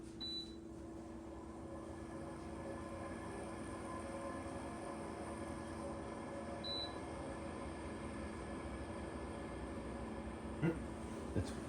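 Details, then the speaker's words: Vollara Surface Pro air purifier, about five years old, after servicing and oiling the fan to cure a rattle: low steady hum with no rattle or squeal; normal, much quieter fan running. "This is way quieter. Yeah. It's way quieter. This is what it's supposed to sound like."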